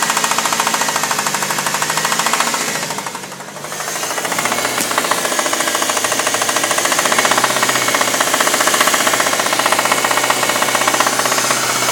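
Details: 1998 Dodge Neon engine: fast, sharp rapping of roughly four knocks a second that persists through a brief dip, engine knock.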